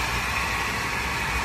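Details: Mercedes-Benz C280 W204 six-cylinder at idle: constant thin whirring rattle riding high over the motor; the engine is noisy from a bad belt tensioner.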